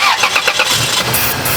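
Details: 2002 Toyota Tacoma, 3.4L V6: starter churns in uneven bursts before the engine stumbles and half-catches; a hard start, possibly from an intake vacuum leak.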